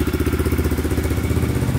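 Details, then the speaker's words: 2002 Yamaha Raptor 660 single after timing chain and bent valve replacement, just started, burning some oil off the pipe: quick even thump at idle with deep steady beat, no knocks or misses; healthy. "getting a little worried it wasn't gonna start because of that thing um just need to be charged so sounding pretty good"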